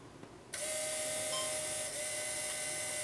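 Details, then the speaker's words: 1982 Mercedes 380 SL stored for years, not running: electric fuel pump switched on to empty the tank through the return line, starts abruptly into a steady, even whine with fine hiss held constant; normal fuel pump operation. "So you can hear the pump is running."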